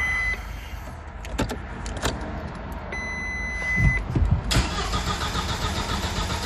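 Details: 1999 VW Passat 1.8T petrol wagon that cranks but won't start: starter churns steadily with beeps between, never catches; a scanner fault points to the main relay cutting power.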